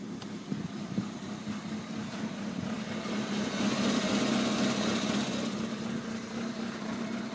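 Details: 1993 Toyota Corolla cold start at 7 degrees, no check engine light; rough idle only below freezing, less with 93 octane, clears after 45 seconds; steady drone wavers and stumbles a few times a second.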